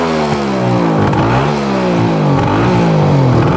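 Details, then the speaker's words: 1974 Suzuki GT750 two-stroke triple, first run after 30+ years in a barn, burning Klotz oil: crisp clean revs up and down with an even beat, no misses or rattles, seemingly on all 3 cylinders: healthy revving. "So it's running really good. I believe it's running on all 3 cylinders. It sounds like it at least."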